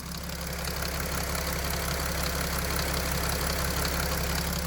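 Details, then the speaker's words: Mercedes Sprinter OM642 diesel idling, rail-pressure and low-power fault codes: after restart the feed pressure changes and a light, regular rustling knock about three a second starts over the clatter, in the high-pressure pump drive. "Давление подкачки изменилось. И начался шелест топливного насоса. Именно в приводе топливного насоса."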